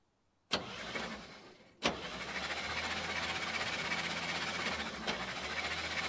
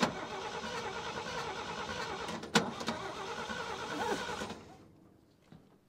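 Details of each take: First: 1957 International Harvester A120 pickup, sat about 30 years, cranking after PB Blaster lubing: starter churns about four even pulses a second for seven seconds, each stroke pushing back evenly; compression sounds good and balanced. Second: 1957 International Harvester A120 pickup sitting about 30 years, choke partly closed, starting fluid used: cranks steadily about four seconds but never fires; suspected bad coil or bad spark plug wires.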